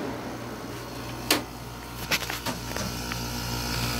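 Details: 1986 Kenmore unit running on low fan with vent air at about 51–53°F: a steady low compressor hum with a few handling clicks. Normal, smooth compressor running.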